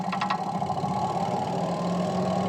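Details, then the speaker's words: Washing machine that only hummed and wouldn't spin, after brake adjustment: steady, even motor hum without knocks or grinding, spin drum now turning freely and normally. "sudah bisa berputar sempurna."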